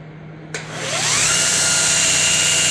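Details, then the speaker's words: Homemade 2x72 belt grinder restarted: the motor spins up with a tone climbing over about a second, then settles into a steady, even belt hiss with no wobble; normal start-up. "so yeah we're back up and running again nice and smooth clean no wobble like that thing's not going going like this it's tracking"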